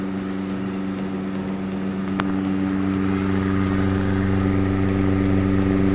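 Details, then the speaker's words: Restored mid-1990s Crompton Greaves TransAir 9-inch (250 mm) exhaust fan, installed, with fresh bearings: smooth steady hum at constant pitch, quieter than before, no growl or ticking. Normal running. "So now let's switch it. As you can see, due to fresh bearings, it's more silent."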